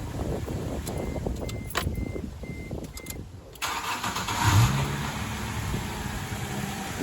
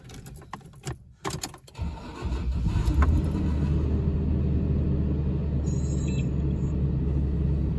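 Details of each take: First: 2006 Toyota Tundra 1GR-FE V6, warm restart after cold start: short cranking whir with light chirps, owner suspects starter Bendix, then quick catch and steady idle; otherwise normal, unchanged. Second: 2006 Toyota Tundra 1GR-FE V6, cold start: key rattle, brief crank with a short metallic clatter, then a steady even idle; restarted after warming up it sounds more normal; cause suspected, not confirmed.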